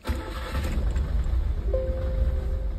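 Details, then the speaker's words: Nissan Sentra ECCS with a crank no start and rev cut: a brief crank, then it catches at once on one click and settles into a steady low rumble. It starts cleanly, while the idle still needs attention. "Okay tigan natin baka spark plug aayon nagar nag-start siya one click"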